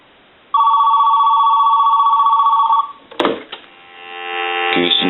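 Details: AT&T 210 Mickey Mouse telephone during initial checkout on a ring test: a clean, steady electric bell trill of about two seconds, then it stops; the ringer sounds strong and even and works properly.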